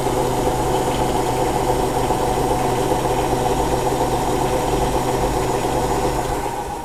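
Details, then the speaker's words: Hotpoint NSWM 1043C W UK N 10 kg washing machine (Whirlpool-made, circa 2007) on lower-speed spin after shock-mount repairs; smooth constant drum hum winding down, no ticking or knocking; owner unsure it's fully working; normal spin. "sounds okay to me but we've been through this a few times now I'm kind of in the point where I don't know if this machine is working or not right"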